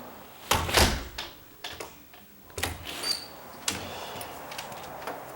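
A couple of solid thunks and a crisp latch click, with no scraping drag along the frame; the door swings and closes freely.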